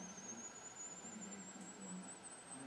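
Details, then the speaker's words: Simple pulse motor with super cap and light, designed for 5 V USB but run here from a 1.5 V AAA battery. Thin, high whine climbs steadily in pitch as the rotor speeds up; cause unknown. "spin a bit quicker and away it goes and the sound goes higher pitch the rot it goes faster it is a bizarre thing"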